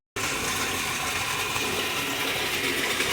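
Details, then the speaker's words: Strong leak on buried water supply pipe under a street drain (imbornal), heard from inside the drain: loud, steady, unbroken rushing hiss of pressurised water. "Ang leak na nakita namin dito. Sinuot to ni Pare Marvin at ni Pare Dex. Sobrang lakas na leak dito. Rinig na rinig"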